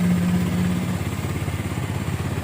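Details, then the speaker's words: Minerva R150 SE 150cc motorcycle after CDI, battery and rectifier wiring fixed: low even single-cylinder putter at idle, steady beat with no knocks; starts quickly and sounds healthy. "Mari kita nyalakan kunci kontak. Wow, bagus sekali. Suaranya bagus."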